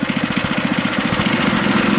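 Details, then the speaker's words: Go-kart single-cylinder engine after the missing throttle-to-governor spring was replaced: it thumps quickly and evenly at a fast idle. The throttle is fixed, but idle is set slightly high and the idle screw needs adjusting. "Alright, idling a little bit high. I gotta adjust the idle screw on it."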